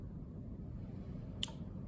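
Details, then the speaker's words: Relay tested off the car with power on coil terminals 85/86: a single crisp click as the magnetic field closes the switch between 30 and 87. The relay is clicking normally. "switch it's getting closed and open so this is how relay Works after providing the power rank around to 85.86 coil will create a magnetic field for us and it it will close the switch"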